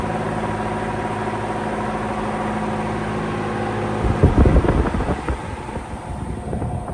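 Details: 1948 Emerson Electric 30-inch pedestal fan, model K60-TC, on high speed; steady motor hum breaks into loud irregular clattering, owner attributes it to a thrust/spring washer or shaft bearing noise, not yet fixed; loud rattle at high speed.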